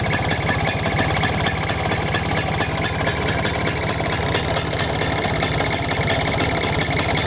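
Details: Vespa two-stroke engine at idle with a strange fast, light chirping, clicking clatter riding on the putter; caused by loose carburetor mounting nuts letting in air, a carburetor air leak.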